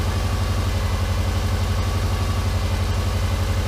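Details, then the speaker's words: Subaru Forester EJ251 just reinstalled after head gaskets and clutch, cold first start: loud steady low rumble with throbbing pulses, quieting down as it warms; sounds like an exhaust leak at the front pipe. "sounds rumbly though yeah makes about the same amount of noise as it did"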